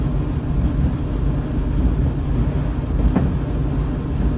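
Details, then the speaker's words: Dryer about 15–20 years old after the drive-system repair (idler pulley removed): a low, even drum rumble with no screech or squeal; running quietly and normally. "the motor switch all those items are still available as explained dryer sounds normal"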